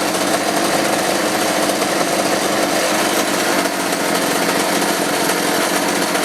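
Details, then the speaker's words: Roughly 35 cc chainsaw with 14-inch bar after replacing the bad spark plug and a carb adjustment; high raspy steady rev with no bogging or cutting out, running properly. "okay run a little longer but looks like it's good to go"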